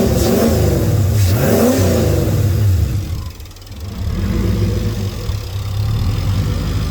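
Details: Turbo Lincoln Town Car with 4R70W transmission, after passenger header hole repaired and exhaust leaks fixed: clean revs rising and falling smoothly, then even idle with no ticking; engine sounds healthy.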